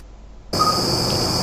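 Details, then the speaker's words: Vapor-X R9 290 graphics card under benchmark load: thin, steady high whine over fan hiss, starting abruptly with load and stopping when paused; suspected coil whine. "I'm going to show you the strange noise at my graphic car mags check this out and makes this only on the load on the pressure when I pause the benchmark as you can see the sound stops"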